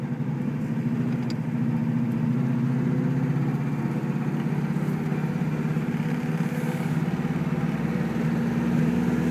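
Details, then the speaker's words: 1973 Saab 96, four-speed manual, first drive after repair, running slightly warm: still in gear with the clutch out, the freewheel disengages completely and the engine drops to a soft, even low idle while the car coasts. "Can hear it completely disengaged. I'm still in gear, clutch is out, and it's completely disengaged."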